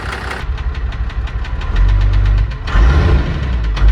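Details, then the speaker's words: 1996 Cummins 12-valve diesel (manual 5-speed dually) idling with a dull, uneven knock about once a second; fuel knock ruled out, teardown found number six piston slap with scored, washed-out cylinder walls, block damaged. "and number six is moving so we got a nice little piston slap there cylinder walls are washed out so block is messed up"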